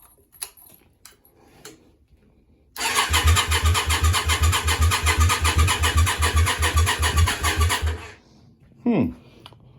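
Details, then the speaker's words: Yamaha Virago 535 project with a new starter, freshly refilled oil and a jump pack on a new but draining battery: steady cranking with no firing, a crank-no-start; owner suspects no fuel, though fuel can be smelled. "sounds like no fu [Music] huh right we don't like we got no fuel issue here"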